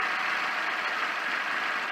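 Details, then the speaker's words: Porsche 924 just after a fuel filter replacement, fuel line re-primed and air purged: steady, even idle with a smooth airy drone and no misses or knocks; running normally with no leaks. "sounds like it's uh going to run [Applause] good"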